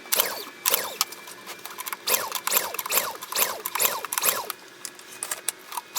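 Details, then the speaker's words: Honda EU2000i generator of unknown hours, fuel on, choke on, spark confirmed, no breakers popped: quick recoil rasps about two pulls a second, and the engine never catches. No-start. "all right it's not starting so Let's uh let's get this air cleaner off of here and then we'll see if there's anything going on with the air cleaner"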